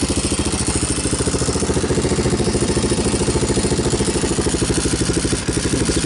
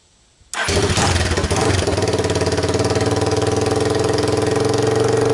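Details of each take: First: 2002 Yamaha Warrior 350 ATV idling after installing a new DG muffler and checking oil: deep, throaty, even single-cylinder thump with no ticks or knocks; runs fine, slight exhaust smoke burning off. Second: 2002 Yamaha Warrior 350 ATV, choke on, cold start with camera on tripod: catches instantly into a loud, raw, popping single-cylinder bark from an unmuffled straight-pipe exhaust, which draws neighbor complaints.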